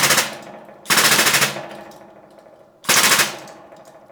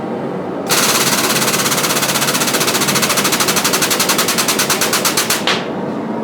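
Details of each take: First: Homemade blacksmith press, freshly painted and still tacky, under load: loud sharp creaking, cracking or splintering every second or two as load builds, each fading; cause unclear. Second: Homemade blacksmith forging press on a test squish of hot steel: rapid, even pulsing chatter runs steadily through the stroke then cuts off cleanly; press working normally.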